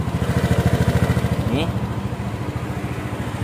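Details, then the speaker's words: Honda Beat fuel-injected scooter with a throttle-body/TPS fault that hesitated under throttle, started for a test: steady, even idle putter, about three and a half pulses a second, with one brief blip; normal idle. "oke seperti itu ini mesinnya hidup-hidup teman-teman bisa denger ya"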